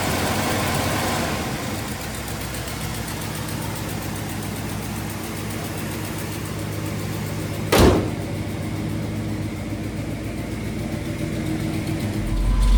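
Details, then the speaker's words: 1979 Little Red Express V8 with a new engine, not fully tuned, at hot idle around 185° and 50 psi oil pressure, AC on: a light, quick ticking puff on the rumble from a newly found exhaust leak at the head. "You can hear a little bit of our exhaust leak over here."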